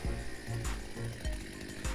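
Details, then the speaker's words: Two-stroke petrol brush cutter/strimmer unused for a few years, restarted after its dirty fuel tank was cleaned and a couple of minutes' run: steady throbbing run with no stumbles or cut-outs; working fine. "It seems to be working fine. Pretty satisfied with that."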